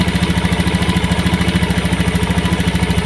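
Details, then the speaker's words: Honda injection scooter after TPS sensor voltage adjusted from 0.5 to 0.410 V for a hesitation complaint, idling-stop model, idle set to about 1500–1600 rpm: even, steady low putter with regular firing and no misses or knocks; normal idle. "di 1600 saja ya. 1600 itu pas ya, 1500 atau 1600 ya."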